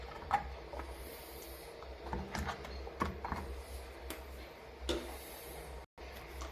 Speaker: and now you will observe as i close and open this shutter there is no creaking no friction sound whatsoever coming from the hinge